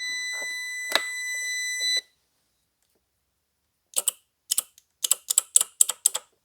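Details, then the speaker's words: 2004 Honda CR-V with shift flaring and hesitation: the removed shift solenoid is bench-fed 12 V from a jump box, giving a short beep then about eight crisp, solid snaps. The solenoid works, so the transmission itself is suspected. "okay well that one actually sounds like it's good so the trans just might be bad"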